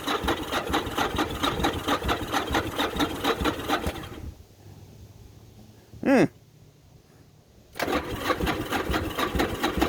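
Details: Newly bought titled motorcycle with straight-looking pipes: quick steady popping exhaust beat at idle, briefly dropping out and picking back up, no knock or clatter; runs great, normal idle.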